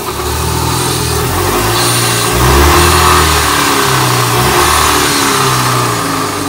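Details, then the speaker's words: Chevrolet Corsa, weak and hard to start, owner suspects broken camshaft/timing: engine revs and settles with a rough, uneven drone and rhythmic beat; abnormal noise with power loss, cause unconfirmed. "Fala galera de novo coração quebrou tá um barulho desgramado eu acho que quebrou o comando galera"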